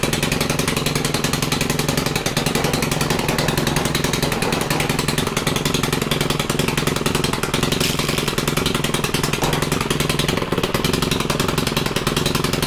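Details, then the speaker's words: Stihl FC110 four-stroke trimmer after freshly adjusted valves, held at full throttle: fast, even firing with a crisp, steady buzz and no misses, compression much better, normal full-throttle running. "but let's see how much compression is now oh yeah that's a lot better that was definitely what ends up happening"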